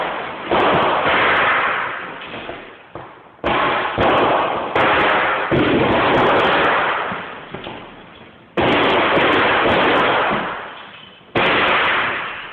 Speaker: Although we don't have a great view of the fire, you can see from the security footage that there is a fire going on, and you can hear the sounds of the battery failing.